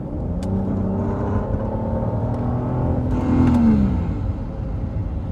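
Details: 2010 Volvo XC70 T6 286 hp: engine drone with a humming whine that rises on acceleration and bends down on throttle lift-off, as if something is about to break off; cause unknown.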